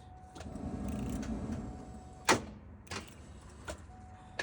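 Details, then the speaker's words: Terminator Cobra after loud bang and rod through block side, locked up with clutch in, ~35°F: starter whirs briefly, one heavy clunk and light clicks, engine never turns over; seized engine. "No, sir. Buddy, she is locked."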